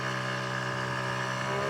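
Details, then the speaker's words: 1981 Yamaha QT50 moped with 60cc big bore kit, riding at about 28 mph: clean steady buzzing note at speed, no popping, bogging or misfire; runs like a top, normal under load. "Runs like a top."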